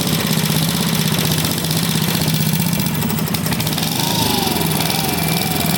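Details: Vintage single-cylinder engine, a free neighbor engine just reassembled with its carb soaked in Simple Green, popping at fast idle with a wavering pace; the unlinked choke plate flaps and upsets the running. It needs a choke linkage.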